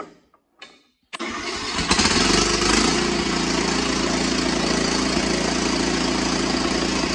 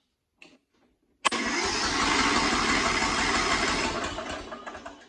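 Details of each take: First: Cub Cadet XT1 with Kohler 18 hp engine, cold, after carburetor cleaning and choke adjustment for long cranking: short crank, fires and settles into steady run with faint rise and fall, slight surge; owner thinks it may fade when warm. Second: Cub Cadet XT1 with a Kohler 18hp engine, cold, after a carburetor clean and choke adjustment for long cranking: it starts almost at once without choke, then runs a steady beat with slight surging that may ease when warm.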